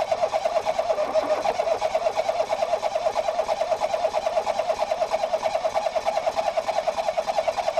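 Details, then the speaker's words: 2018 Ford Focus SE parts car with suspected water in a cylinder, plugs back in after fuel-smelling fluid was blown out; slow, uneven cranking about three pulses a second, no start; owner suspects a drained battery; engine-fault service warning shown. "St oh it's trying but oh it's not trying anymore maybe I killed the battery too much"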